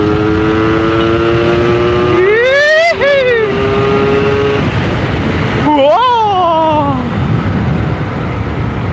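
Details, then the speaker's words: Yamaha RX King two-stroke, previously hard to start and stalling and misfiring at high revs, now revving cleanly and freely through the top end after repair; clutch still slipping. "atasnya itu udah nggak ada batas dalam arti Kalau kemarin kan ditarik tinggi jepret jeprot gitu nembak-nembak kayak mau mati ini ndak enak"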